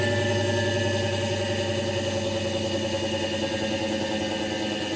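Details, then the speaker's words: Repaired Solectria AMC325 motor controller (contactor, fuse, transformer core replaced), reprogrammed for higher voltage, in forward with throttle then regenerating to a stop: steady even electric whine easing off smoothly, healthy. "So regen to a stop here."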